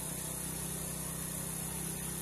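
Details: Honda Supra carbureted moped at idle after adjusting the carburetor air screw to the highest, steadiest RPM (exhaust had sounded uneven before): low, even putter with no hunting or misses; normal idle.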